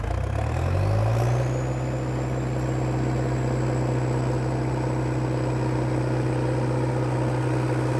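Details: International Harvester Dresser TD8E diesel bulldozer after replacing fuel filters: cranks, catches, briefly climbs, then settles into a steady even low idle with no misfire; the earlier "helicopter sound" is gone, running fine.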